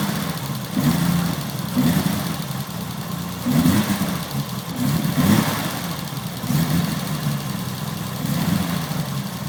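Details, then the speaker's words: BMW E30 race car, cold engine after sitting a couple of days: cold idle with a slight lumpy stumble about every two seconds, otherwise steady and even; seller says it always stutters a little cold, no hidden issues. Normal cold idle. "But there are no hidden issues or worries or anything. It's actually a really good, strong engine."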